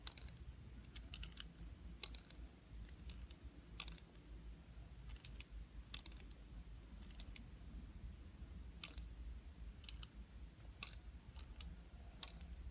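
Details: DJI Phantom 4 gimbal: sharp, irregular small clicks in clusters over a quiet hum every time the gimbal tilts downward; cause unknown.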